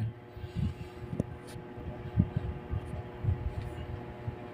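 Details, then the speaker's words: Panasonic automatic washing machine in spin mode: a low steady hum with some clunks, and the motor never turns while the belt is not slipping; motor hum without spin, failed run capacitor. "Kumbaga wala talagang movement yung motor umuugong lang siya walang galaw yung motor no"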